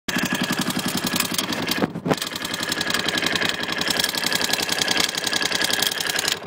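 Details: KTM LC4 single-cylinder running with a sharp rapid tapping about four per second over a bright clatter; noise from the decompressor, whose hand decompressor adjustment was forgotten during reassembly.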